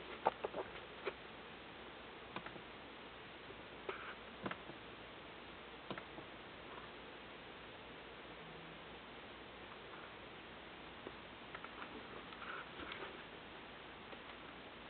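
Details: Dell Inspiron 9400 laptop at switch-on: quiet, irregular light ticks over a faint hiss while it never starts; cause not identified.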